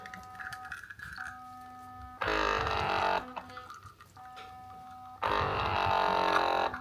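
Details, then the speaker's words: Wacaco Pixapresso portable espresso maker with 16 g of coffee, aiming for about 30 g out: the quiet hum steps up into a loud, labored buzz, drops, then strains again as the pump fights hard against the puck. "fighting a lot. We had 16 grams of coffee, so for a decent espresso I would stop around 30-ish grams."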